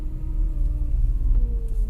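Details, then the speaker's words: VW Touareg, steady engine drone with a humming tone that drifts in pitch, changes with gear shifts and revs, louder at low rpm, coming from the left side and fading once warm; owner suspects a belt idler pulley or power steering pump, unconfirmed. "И вот что я сейчас заметил. При переключении передач меняется звук. При переключении передач меняется звук. Такое ощущение, что на разных оборотах он прям гудит."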